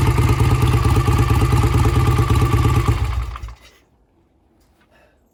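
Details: Vintage British twin motorcycle, sat unused for a couple of years, carburetors cleaned twice to revive it; strong, regular, even firing on road test until shut off; runs smooth and strong, repair done.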